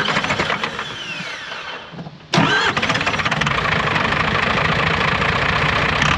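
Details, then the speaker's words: Cummins diesel truck engine after new injectors, blowing blue and white smoke at idle and pushing oil out the oil cap: rough uneven idle with hard knocking and stumbling; misfire, pinging and internal knock, holed piston or head/valve damage suspected. "लेकिन अब इसमें नीले और सफेद धुएँ का मिश्रण है और आप बस सुन सकते हैं कि इसमें कुछ गड़बड़ है। इस मोटर में कुछ तो गड़बड़ है।"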